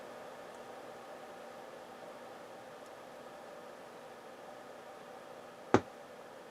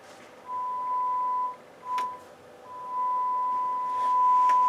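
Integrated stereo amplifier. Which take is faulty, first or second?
first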